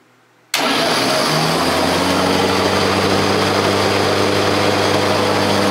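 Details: 1979 Ariens 924 snowblower converted to a Leeson DC motor on Honda Accord hybrid NiMH batteries with Prius contactor, stock drivetrain: switches on with clean steady hum and smooth whir, no knocks or grinding; normal running.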